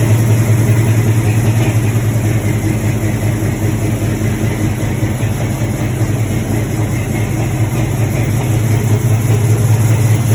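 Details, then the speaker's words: LS-swapped C10, 6.0 with a cam, after a new tune: loping V8 idle with an irregular stumble two or three times a second; miss at idle that smooths with a little rpm, from leaking, half-clogged junkyard injectors over-fuelling. "It wouldn't act right, and if you got up in RPM just a little bit, it would start to smooth out, but you could hear the miss when it was sitting there idling."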